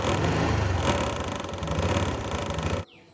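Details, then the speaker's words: 2022 Honda Wave125i LED, under a year old: owner reports noise from the front fairing/body panels when riding and revving; at low idle a light uneven buzzing rattle rides over the engine, stopping at shutoff — front fairing rattle. "ลูกค้าบอกว่ามีเสียงดังนะครับเวลาขับขี่เสียงที่ตัวอ่าเอ่อด้านหน้าเนาะชุดชุดสีครับนะครับก็เวลาขับขี่เวลาเบิ้ลมันมีเสียงนะครับ"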